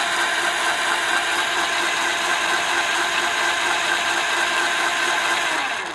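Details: CY Gold 48V 500W BLDC mid-drive motor (about 4000 rpm) with reduction gearbox (260 rpm output), run dry without oil: steady high whir with gritty, rasping gear noise at constant speed; said to go away once oil is added.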